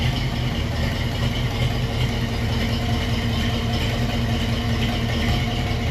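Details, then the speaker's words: Foxbody Ford Mustang project, restarted after sitting about 3 months, hard to start at first, running a little rich and smoky in the shop: steady, even low idle with a consistent rumble, no misses, knocks or ticks; normal idle. "Didn't want to start up there for a second, but it's been sitting for a while since the last time we started it. Probably 3 months. But sounds like it's idling good."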